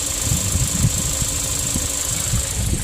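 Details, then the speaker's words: 2016 Kia Sorento 2.4 with P0304 cylinder 4 misfire, with an oil-fouled plug; engine burns oil, 2.5 quarts added: steady even idle, smooth low throb, misfire count zero, running cleanly on all cylinders. "so I got zero on there now all right Miss fire's gone"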